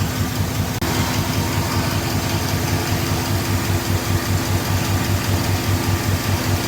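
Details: 5.3L V8 truck engine after Rislone oil treatment for lifter tick; steady low rumble at idle with no ticking on top; tick gone, normal idle.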